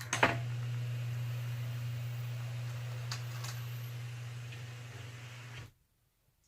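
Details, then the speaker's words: Rebuilt Powrlite power slider limo window from a Chevy S10 minitruck, bench-tested on a battery: smooth, even low motor hum for about five seconds, then a clean stop; window motor works normally. "that's awesome worked really good"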